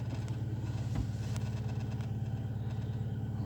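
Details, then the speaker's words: Car showing P0507 and the check-engine light, warm after 15 km, new idle air control valve and throttle position sensor: steady, even idle sitting high at nearly 1100 rpm; cause not yet found. "И опять после того, как нагрелась, вот она держит почти 1100 оборотов."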